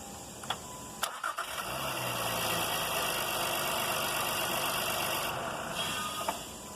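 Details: 2016 Honda Pilot V6 with a starter grinding-at-startup complaint: a brief clean crank, the engine catches within about half a second and settles to a steady idle. No grinding from the starter gear.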